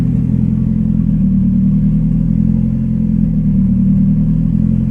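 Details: Turbo Tiburon first start after sitting a while, with a new Kaaz LSD and Action clutch installed, idle screw set quickly, spring not yet fitted, not yet retuned. Steady, even drone at about three and a half beats a second; runs clean but idles high.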